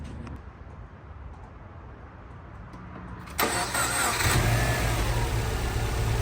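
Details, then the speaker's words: Freshly installed swapped engine's first start, after fixing a small leak at the back of the manifold that had caused a high-pitched sound: quiet, then it catches at about 3.5 seconds and settles into an even, steady idle with no whistle or hiss. "much better now she sounds like an engine beautiful"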